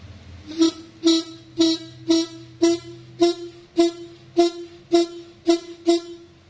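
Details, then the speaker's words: Yamaha RX-King two-stroke reed valve (membrane) after its petals were opened slightly to cure a choked, heavy sound. Even, clear, tuneful reedy buzzes, about two a second as air is drawn through; all petals now vibrate freely. "Nah, jadi semuanya main ya bosku, ini semuanya main."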